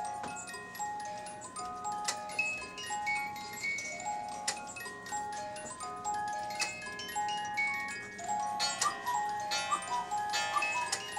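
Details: Cuckoo clock repaired earlier. A steady tick near one per second plays beneath bright chiming bells; it runs evenly and healthy.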